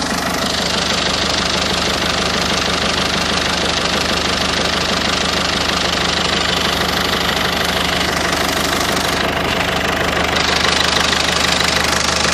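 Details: 1.6 HDi diesel at idle: sharp, regular metallic knock about three times a second riding over the diesel clatter; internal engine knock, cause undetermined.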